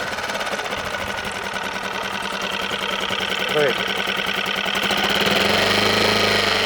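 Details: Suzuki DF6 outboard running with a fast, even tapping knock, about three or four a second, over the engine note; abnormal knocking of unknown source.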